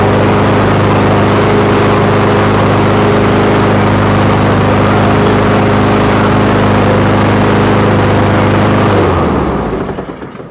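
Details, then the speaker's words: Honda HRX217 lawn mower after carburetor cleaning and new air filter, before new spark plug and oil; steady even engine note with no surging, clean wind-down at shutoff. "And that's absolutely perfect. It's even going to run better once I put a new spark plug and change the oil. But you see that there's no more surging."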